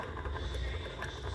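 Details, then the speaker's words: Honda Titan 150 running with a loose clattering knock from the top end, sounding like a dragging bearing; camshaft worn with play, needing camshaft replacement. "Esse motor pessoal tava fazendo um barulho como se fosse rolamento arrastando pessoal alguma coisa assim realmente era pessoal aqui ó ele tá com folga"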